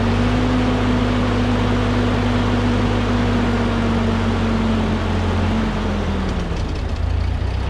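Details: 1946 Ford 2N tractor, flathead four, after head gasket replacement and fresh oil: low, steady thrum, even tone easing slightly lower, no knocks or misses. Normal idle.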